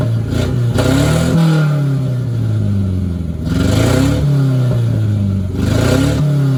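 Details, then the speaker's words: 1990 Mitsubishi Mighty Max after running Seafoam on the old spark plugs and fitting a new fuel filter: revs rise and settle, still skipping with an uneven misfire, but much smoother and little smoke. "So I'm gonna say right off the rip, it's still skipping, but the motor sounds like a million times better."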